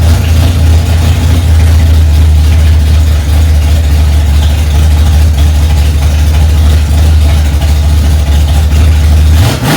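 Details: 1965 Ford Mustang, freshly rebuilt 289 small-block V8 on its cold first start, mixture screws two turns out: deep, even rumble at a steady fast idle with no knocks or misses; engine running smoothly.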